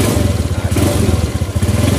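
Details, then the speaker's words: Suzuki Nex CVT scooter that judders and stutters when throttling under load, especially after closing and reopening the throttle at speed; the cause is in the drive system, worn variator rollers and roller housing, not the carburettor. "jadi saat kita akan ngegas mau jalan ada beban dia akan seperti nyendat-nyendat seperti itu tapi nyendat-nyendatnya bukan karena faktor kabilator atau apa tapi dari segi sistem penggerak"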